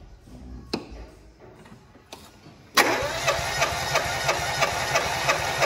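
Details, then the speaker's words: Fiat Palio cranking during cylinder compression test, about 150 psi: even cranking beats about three per second with thin steady high screech; starter motor squealing, needs maintenance. "bom motor de rank tá gritando aí vocês viram né"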